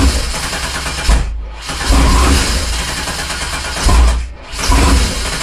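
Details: 1987 Fiero GT with swapped 3800 supercharged engine: starter churns in roughly one-second bursts, engine turns but never catches; crank no start, no fuel because the pump isn't connected.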